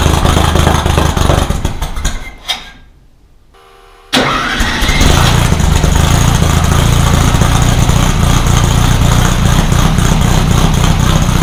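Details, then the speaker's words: Rebuilt VW 1600 flat-four in a Baja Bug, first start after a two-year teardown: cranks, stumbles and dies, then catches on restart into a rough, uneven idle. Ignition timing about 20 degrees too far advanced; retarded to fix. "I had to mess with the ignition quite a bit. I had to retard it initially. Apparently when I set it up thinking I was on top dead center, I was probably about 20 degrees too far advanced."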